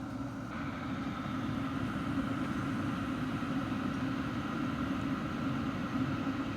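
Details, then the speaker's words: Vevor 8KW diesel heater (2025 model) running outdoors, measuring about 62–63 dB at 6 ft from the front and rear. A steady, even roar from the combustion fan and burner with no surging, rattles or misfire pulses is heard: normal running. "So about 62 63 dB from the rear and the same from the front."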